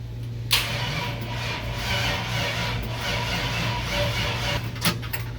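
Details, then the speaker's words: 5.3 LS V8 in C-10 rat rod, first crank after a year sitting, weak battery: sluggish dragging crank with low hum and no firing because the engine had no ground strap; adding one made it crank much better. "Well, I think I need to add another ground. Take two. Got the got an actual ground on the engine. I didn't have any before."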